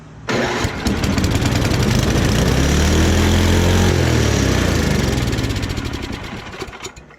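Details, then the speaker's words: Free snowblower with small single-cylinder engine, first start: catches after a couple of cranks and screams to a flat-out high roar without settling; governor stuck open, choke line also not working. "So it definitely starts, but it looks like the governor is stuck open. for sure. Oh yeah. That governor is definitely stuck open."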